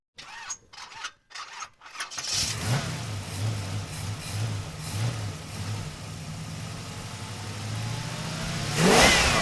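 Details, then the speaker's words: 1977 Datsun 280Z unrun since about 1990: starter cranks steadily and the engine rolls freely but never fires or catches; owner suspects no fuel delivery, possibly a ground or electrical fault, with the fuel pump engaging via the airflow meter flap. "does it crank it does crank it rolls freely um it sounds great it just doesn't it's not getting fuel right"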